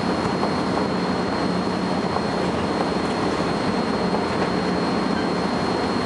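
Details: First Manchester Volvo B10BLE bus 60403 (S670SVU), recorded 30 May 2011: thin, steady high-pitched squeal constantly over the bus's running and road rumble; source unclear.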